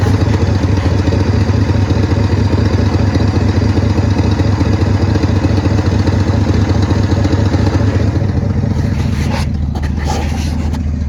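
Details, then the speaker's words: 1972 Ford F-350 auction truck idling on the trailer after its first start: a steady, even V8 rumble with no ticking or clanging, holding speed; sounds good, runs good, a normal idle. "Sounds good, runs good. We're just gonna do a couple of things to her and back her down off the trailer and check her brakes first."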